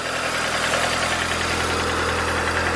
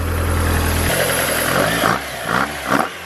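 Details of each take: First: Mazda Miata with a Toyota 4A-GE 20-valve individual throttle body kit, idling: uneven, lumpy pulse under a busy intake hiss; rough idle because the throttle bodies are unsynchronized, before balancing. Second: Mazda Miata (MX-5) with Toyota 4A-GE 20v individual throttle bodies, just after synchronizing; steady idle broken by quick, crisp blips that rise and fall cleanly, then settles back to an even idle with the throttles balanced.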